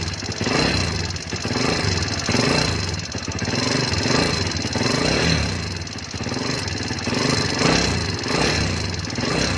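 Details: Motorcycle engine idling with fast, light ticking over the beat and slight speed surges, possibly top-end tapping or loose valve clearance; proper tune-up given as the fix for the engine ticking noise.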